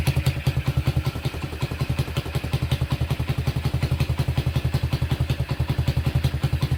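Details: Honda Tiger single-cylinder engine at idle during restoration: fairly smooth, but a sharp chuffing puff on each firing stroke from an exhaust leak, as only one exhaust bolt is fitted; the Tiger's usual clutch clatter is also present.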